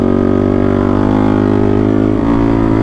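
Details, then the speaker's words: Sport quad built for desert racing with 23-inch front and 22-inch rear tires and a 15-tooth front sprocket geared for top speed: a heavy, steady drone that climbs only slowly under load. It is labouring against tall gearing, not misfiring. "so if it sounds like the quad is struggling a little bit as far as power it's not revving that fast the reason is because we've got these big 23 inch front 22 inch rear overs on here and a 15 tooth front sprocket"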